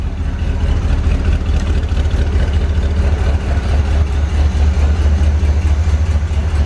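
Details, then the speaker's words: 1970 Corvette barn find V8, first start after sitting 10 years, fed from gas can: deep slightly uneven idle with periodic stumble, oil pressure near 70 psi, no smoke, exhaust leak heard; misfire, suspected plugs or wires. "oh my gosh it idles I hear an exhaust leak I can't believe it idles that's sitting for 10 years in it idles definitely missin though sounds good it isn't smoking"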